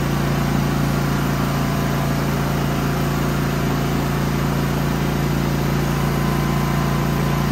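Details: Genmax GM9000iED inverter generator after ignition module replacement, housing closed with new foam: steady, even hum at constant speed with no misses, knocks or surging; normal running, though it backfires and pops the plastic case open at other times.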